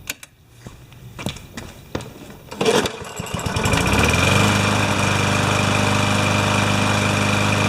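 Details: Older Yard Machines mower with a Tecumseh engine, rope start with no brake, after a full carb clean and complete repair: a few pulls, then it catches and settles into a steady, even run with no misses or surging. It is running normally.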